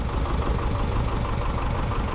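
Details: Sailboat diesel idling steadily with no knocking, but the temperature alarm showed the heat exchanger running hot and water flow was weak; overheating, owner suspects a broken raw-water impeller, unconfirmed.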